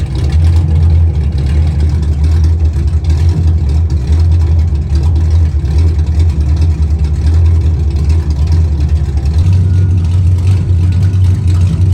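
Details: 1991 Chevy Camaro running after dropping the fuel tank to fix a year-long fuel pressure problem; fuel pressure restored, strong steady low rumble with no stumble or misfire, running the best it ever has.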